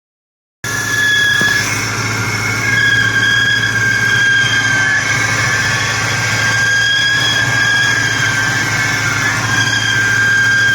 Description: 2003 COBRA with humming noise when cold and goes away when it warms up. its between 800-1200 rpm and goes away.